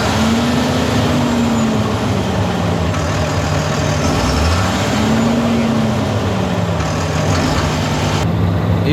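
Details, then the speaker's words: Fendt 936 tractor Deutz diesel, warm, under load around 1500 rpm: drones unevenly, pitch sagging and recovering as one cylinder drops out, with vibration felt in the cab floor; misfire from coked injectors. "стоим вибрация прямо ощущается то есть по полу по кабине прям вибрация то есть в такт какого-то цилиндра прямо ощущается вибрация скорее всего какой-то цилиндр какая-то форсунка у нас работает не ровно"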